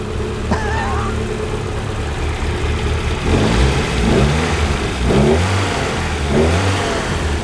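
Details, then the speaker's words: Fiat Uno Turbo: steady petrol idle rising into a few smooth, clean revs with no knocks or rattles; engine sounds smooth but coolant bubbling over, overheating—suspected fan switch, airlock, or possibly head gasket. "sounds good engine smooth yeah engines sound smooth but it's um bubbling over it's overheating"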